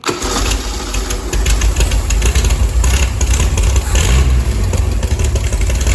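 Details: Chevy SS restoration engine, final start after a splash of gasoline and ignition on: catches and settles into a steady, even low rumble, no knocks or stumbles; healthy.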